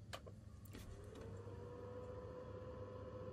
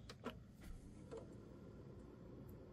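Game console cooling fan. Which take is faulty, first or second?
first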